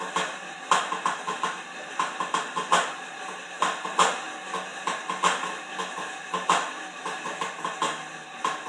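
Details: Horizon M4 exercise bike in use: a loud, hard metallic clank repeats roughly once a second with each stroke, irregular, suggesting something loose in the drive; the cause is unknown.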